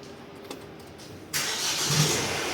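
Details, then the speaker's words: Mahindra XUV300 diesel, 2019, 123,000 km, after repair of a shot-like noise at start-up: quiet, then the diesel catches and runs smooth and even with no knock or clatter; start-up noise gone after parts replaced. "कोई आवाज़ नहीं, कोई आवाज़ नहीं कोई car लापता नहीं है। वह ठीक है।"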